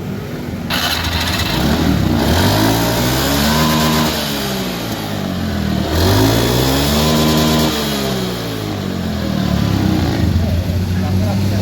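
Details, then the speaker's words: Honda Scoopy FI that had a whining final drive, after replacing the full gear ratio set and the loose pulley axle bearings. It starts and revs cleanly with no gear whine or grinding. "Okay, it's running smoothly. So, this is for the gear ratio, the full set was replaced."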